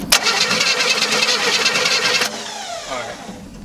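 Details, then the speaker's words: Old Chevrolet Nova after sitting for years: starter cranks fast and even about two seconds, compression sounds equal, but engine never fires; no spark, fixed by installing new points. "Alright. I believe him. We're not getting spark. So it doesn't have spark, so we're gonna put the points in."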